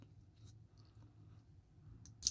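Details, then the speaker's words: Smiths Everest PRS-25 watch deployant clasp after squeezing the hook with pliers as a fix: single sharp metallic snap over quiet handling noise as the clasp pops open when the wrist is pulled back; fix did not hold. "yeah it'll pop open there"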